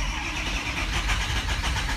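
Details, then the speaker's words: Diesel truck with faulty FICM (injector control module) and a bad number three injector: short even crank with no firing pulses at all, won't fire; the module is swapped afterward. "it's not hard it's not going to fire with that pick a minute so yeah not going to happen"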